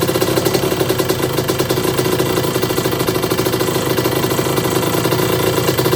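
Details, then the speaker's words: 1982 Suzuki RM125 two-stroke during restoration, after suspected carburetor starvation and part swap: fast, even popping idle with steady ring-ding beat, no misses or knocks; sounds nice and healthy. "yeah that sounds nice yeah like"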